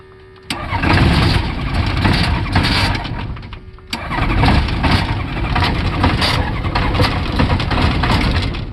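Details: Rotax 912ULS aircraft engine: two cranking attempts, catches roughly and unevenly, never settles into a clean idle; hard start from slipping starter sprag clutch.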